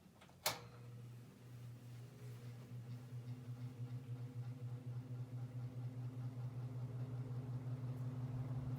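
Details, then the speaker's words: 1960s GE third-generation 22-inch three-speed box fan, first run in a month, switched on low: click then steady low hum building as blades spin up; runs evenly, cage may rattle slightly. "thing is definitely a powerhouse even though it's still catching up i could really feel the air this is the first time i turned this fan on in about a month"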